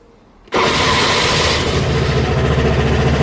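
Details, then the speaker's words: Piaggio scooter that struggled to start and then stalled, after reattaching a loose vacuum pipe to the fuel switch: engine catches at once and settles into an even, steady run, a clean start. "Oh, that was ridiculously easy. Well, that seemed to fix it."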